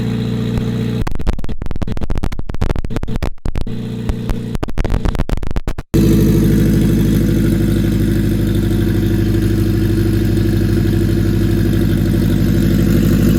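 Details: Acura RSX, K20 with stock turbo kit, first startup after build with fresh oil and coolant: choppy cranking for a few seconds, then fires cleanly into smooth, even idle; normal start and idle.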